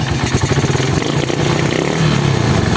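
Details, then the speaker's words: Suzuki Raider 150 carb after shim replacement and cam holder resurfacing for a noisy head: steady, even low thumping idle with slight throttle; earlier typewriter-like ticking gone, top end healthy. "yan ayan Okay na wala na siyang lagitik kasi nung una dating to parang ano eh Parang makinilyang okay na na maingay lang"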